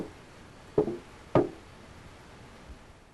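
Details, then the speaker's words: 1988–1989 Buick Regal underbody: two sharp hollow pops then a faint third, fuel tank oil-canning from expansion and contraction under normal fuel system pressure with engine running; may be resolved by installing current-design tank with added ribbing. "noise this noise is the result of expansion and contraction of the tank the movement is due to normal internal pressure produced by the fuel system as the engine is running"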